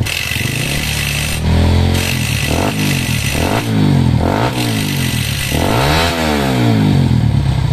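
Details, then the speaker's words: Honda CRF150 with racing camshaft, ECU rev limiter set to 12,000 rpm after remap: repeated sharp throttle blips climbing fast to a flat peak at the limiter and falling back; strong, crisp single, normal revving. "Terus ber limit limitnya 12.000, limitnya 12, coba limitnya."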